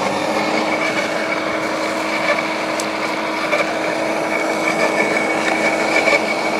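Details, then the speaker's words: LawnMaster 2800W quiet electric garden shredder, blade-to-plate gap set: steady high motor hum with irregular snaps and crunches as thin branches self-feed without the plunger; cutting normally. "super impressed with this lawnmaster Garden Shredder I didn't really know what to expect from it but as you can see there it just it was just self-feeding the branches in"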